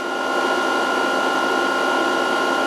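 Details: VFD cooling fan running normally during capacitor reforming at 140 V input; the lamp dims and goes off as capacitors charge, drive in under-voltage. Steady whirring hum with a constant high tone holding even throughout.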